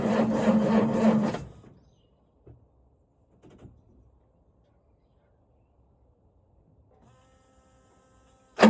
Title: John Deere 6910. No start on this frosty morning #tractor #coldstart #johndeere #farming #cold #fail